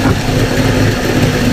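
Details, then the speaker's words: Mercury 50 two-stroke outboard (9M9XM00591C1) after a fuel filter change and airbox reseal. It formerly idled rough and died at low idle. It now gives a low, even idle with no stumbling or hunting, a huge difference: normal idle. "I mean, that's idling, dude. Ever. It don't sound like it's cluttering or anything, dude. Woo! Huge difference."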